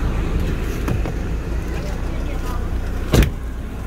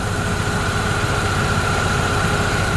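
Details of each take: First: Opel Astra G at idle under load with A/C and fan on max, in engine bay: irregular metallic tapping/rattle as the weak, worn multi-V belt tensioner vibrates and jumps. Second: Opel Astra G at idle with A/C and fan on max, after replacing the worn belt tensioner: steady even idle, faint fan hum, no rattle; new tensioner barely moves and holds the multi-V belt firmly.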